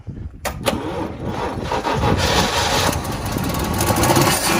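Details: Original 65,000-mile small-block 350 car on its first start in two years, fuel poured in: the starter churns steadily with occasional catches but it never fires and runs on its own.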